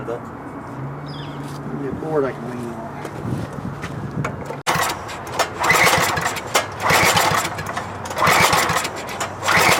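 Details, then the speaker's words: MTD five-horsepower wood chipper engine after timing was reset: uneven pull-start cranking bursts, about one a second, no firing; carburetor not drawing fuel, suspected bad carburetor diaphragm, tank possibly near empty. "sucking. It's not sucking. A bad diaphragm in there."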